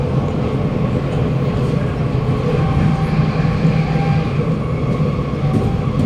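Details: SMRT Kawasaki Nippon Sharyo C751B train 351/352, car 1351, in terrible state, pulling away Bukit Gombak toward Jurong East: steady rail rumble with faint humming and weird noises under acceleration; screeching on braking likely from worn wheels, cause of acceleration noise unclear.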